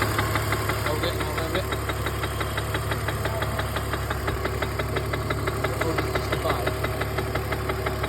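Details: BMW E46 330 six-cylinder at idle; sharp regular ticking about three per second rides over the steady idle, a top-end tap or rattle of unknown cause.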